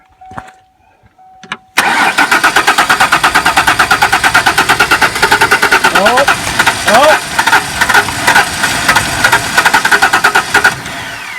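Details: 1994 Ford Ranger revived after sitting: long, even cranking about three turns a second with a few ragged pops as it tries to catch; it starts shortly after, running a little rough.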